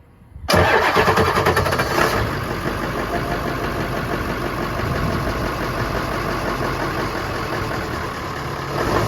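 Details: 7.3L Ford Super Duty diesel just after an oil cooler rebuild, refilled with oil and coolant: cranks, catches quickly with a brief flare, then settles into an even diesel clatter at idle with no misfire; normal healthy start and idle.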